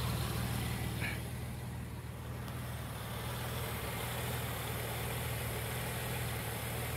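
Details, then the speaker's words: 1999 Ford Windstar 3.8L idling after harmonic balancer fix (outer weight had spun from deteriorated rubber), idle slightly off with check engine light; steady even hum, no shaking or knocks, vibration gone. "It's not shaking anymore. Something that simple."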